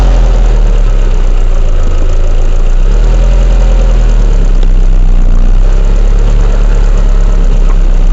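Loud, heavy low drone at idle with a faint uneven throb underneath; something is off, but nothing points to a cause. Cause suspected, not confirmed.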